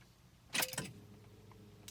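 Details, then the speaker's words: 1997 Honda Accord with a no-crank complaint, key turned to start: a brief key jangle, then only the fuel pump humming, with no starter click or cranking; no crank, no starter click. "first thing I'm going to do is verify the issue the vehicle won't crank so I'm just going to turn it to start see if I can get it to crank I'm in start nothing's"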